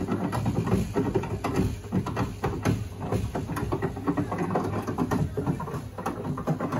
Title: Boiler knocking sound!